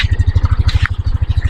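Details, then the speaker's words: 2022 Yamaha NMAX at idle after replacing connecting rod and piston, mic held close: steady, even low putter about ten pulses a second with no knocking; the knock is gone. "Oke guys, tidak ada suara trok-trok ya teman-teman. Jadi suara trok-trok sudah hilang ya teman-teman setelah diganti stang seher."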